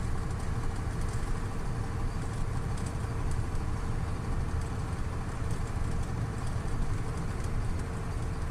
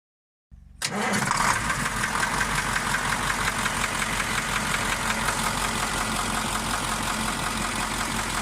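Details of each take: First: KamAZ 740.13 V8 diesel after repair of cylinder 8 knock from scored liner, new FM 740.30 pistons fitted, during break-in: steady, smooth low idle with no knocks or ticks; healthy. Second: KamAZ 740.13 diesel, knock located by ear near cylinder 8, fading but not vanishing when its injector line is loosened; scoring on cylinder 8 liner seen with pan off: catches and idles with dull, regular knock; piston knock.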